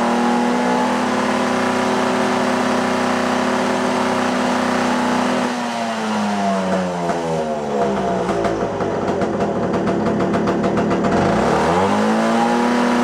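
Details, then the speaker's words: Puch Maxi barn-find moped after 22 years sitting, during tuning; two-stroke buzz rises and sags unevenly, revs hunting instead of pulling clean, idle lower but still running poorly. "yeah it's still not there you can hear it in the way it's running still way too"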